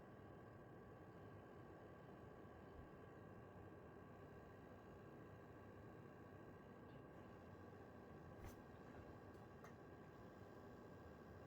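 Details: PS5 console with faceplates off, under game load: steady airy fan rush with thin, constant high-pitched tones and a faint electrical buzz, coil whine and buzzing.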